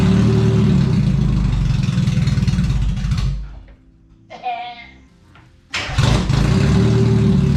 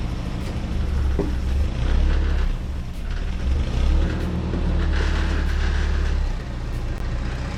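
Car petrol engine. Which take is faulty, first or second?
first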